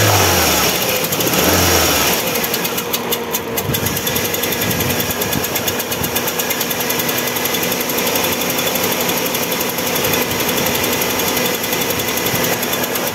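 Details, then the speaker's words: Ford Focus, about 2005, Rocam 1.6 8V chain-driven engine that overheated after a burst hose (water in oil). Owner reports it runs unstable, stalls, is hard to start and uses coolant. It starts but idles lumpy, sounding like two or three cylinders, with metallic clatter when revved. Misfire from blown head gasket and broken piston. "ahí podemos apreciar que el motor arranca la llave pero se siente inestable [Música] y acelerándolo un poco Suena algo metálico dentro del motor"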